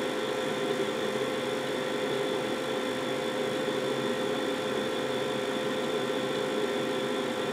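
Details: Carrier 92% efficient condensing natural gas furnace, first floor, two zones: very loud burners after start-up, a steady even roar with a faint hum, no clicks or surging, before the blower turns on; normal burner operation.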